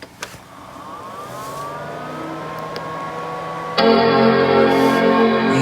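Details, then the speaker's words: PowerMac G4 MDD, dual MC7457 CPU card with upgraded 2MB L3 cache and a newly flashed chip, at stock clocks: quiet fan hum, then one clean sustained startup chime at power-on, a normal chime; display follows. "it chimes, so far so good."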